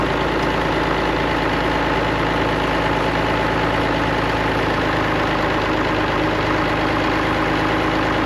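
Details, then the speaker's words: Allis-Chalmers diesel tractor just started after cracking injectors, running the electric fill pump, heat and ether: steady, even diesel clatter at idle with no misses or knocks; sounds healthy. "Nothing really to complain about. Not near as bad as my N6. Um, it's running. Sounds healthy."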